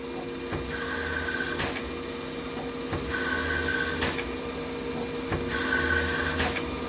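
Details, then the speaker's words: CNC lathe threading a Tikka 22 Creedmoor barrel at 1,000 RPM, 20 passes then a skim pass: high thin ringing in bursts about every 2.5 seconds, once per threading pass; light tool chatter, judged not a big deal. "Little chatter. Seems like a big deal, but it's not."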